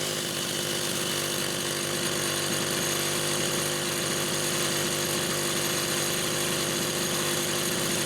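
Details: Rebuilt Homelite Super XL SDC carburetor on a test saw with a Phelon electronic coil: even, steady high-pitched buzz with no surging, misses or dropouts for the whole run; running clean and healthy.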